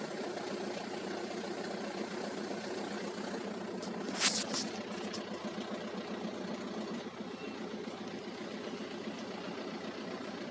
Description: Manual gear box making rattle grinding noise after clutch change. Even in neutral( slave cylinder or gearbox bearings?)